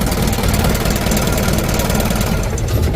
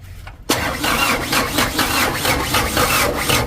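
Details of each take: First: Ragasa (cumplung) 100 PS diesel engine after injection pump plunger replacement, started by starter: steady low diesel clatter at an even idle, regular knock, starts easily and runs smoothly; normal diesel idle. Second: Diesel engine after fitting a 100 PS Ragasa plunger in the injection pump and refitting injector lines: starter cranks at about four beats a second with no firing while air is bled from the pump; cranking without starting due to air in injection pump.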